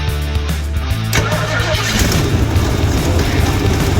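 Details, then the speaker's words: 1968 Ford Mustang 289 V8 started after new spark plug wires were installed in a corrected firing order. About a second of cranking, then it catches into a deep steady rumble without misfires: normal start. "alive that sounds pretty good too"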